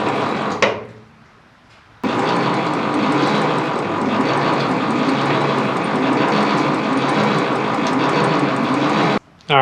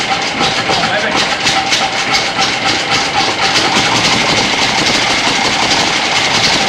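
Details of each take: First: 1930s Ford Model A that sat over 20 years, cranked with no spark plugs in: slow, labored, uneven starter churning far below normal cranking speed; owner suspects the battery cables and plans new, longer ones. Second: 1930s Ford Model A, revived after sitting over 20 years, started with the foot starter button; a quick, slightly uneven popping beat with lots of hiss and no deep rumble; the old engine fires and runs fairly cleanly.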